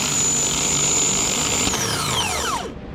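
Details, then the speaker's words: Replacement starter for a 2009 Mercury Milan/Ford Fusion 3.0L bench-tested before installation: clean steady high whine, then pitch falls smoothly as it coasts down with no scraping; starter spins freely and works normally. "This starter appears to be working good. So now I'll go ahead and install it."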